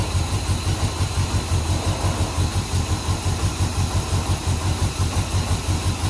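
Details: 1968 Suburban with 5.3 LS swap after loose ground fixed and wiring harness replaced: steady low rumble with even, regular pulses at warm-up idle, no knocks or misses; best it has sounded yet.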